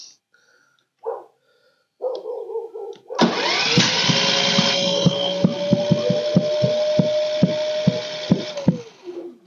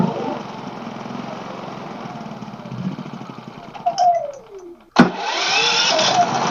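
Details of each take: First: Pulsar inverter generator won't start, pull-start attempt: sharp uneven pops over straining engine from intake valve stuck by gummed old gas; fixed by adjusting valves without removing head. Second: Pulsar inverter generator after freeing an intake valve gummed up by stale gas, done without removing the head: sputters, catches after a brief lull, then settles into a steady, fast, even run.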